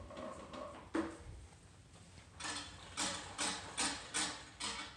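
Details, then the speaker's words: Fiskars Momentum 18-inch reel mower: light crisp tick two or three times a second as reel turns, one blade contacting bed knife; otherwise quiet. "the only noise you're hearing right now keep in mind is that one blade on that reel that is making contact at that bad knife"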